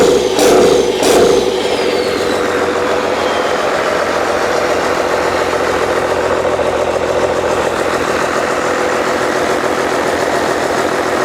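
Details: Old 12-valve Cummins diesel, stored almost a decade, first start: brief start-up flare, then steady, even idle, no knocks or misses, not much blow-by. Normal diesel idle.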